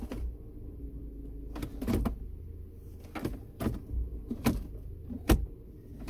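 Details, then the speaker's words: 2008 Hyundai Sonata, 136,000 miles, after replacing the ignition switch: low steady idle in neutral with no starter grinding, just cabin clicks; fault was intermittent starter engagement with the spinning flywheel in Park or Neutral. "it's not getting any grinding noises it wasn't doing it every time though so I'll have to test the car out for a few weeks to know the problem had become more and more frequent"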